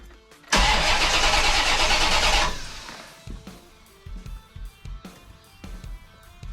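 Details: 1990 Chevrolet Corvette that stranded its owner: starter spins briskly for about two seconds with regular pulses but never catches, crank no start, with no ECM or ignition trouble codes stored.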